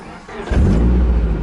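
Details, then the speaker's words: Nissan S13 240SX, a factory no-airbag car, started in neutral with the seatbelt module unplugged to confirm it runs without it: quick crank, catches at once and settles into a steady, deep, even idle without misses; it purrs. "all right ripping all that junk out cuz she starts right up oh man this thing freakin purrs"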